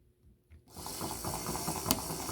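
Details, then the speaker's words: Proto2K GP7 drive unit tested on plain DC before a decoder install: a quick, regular ratcheting click over the gear whir as the unit jumps around, sign of a broken axle (gear). "Hear that sound? See how it's jumping around? That is the sign of a broken axle."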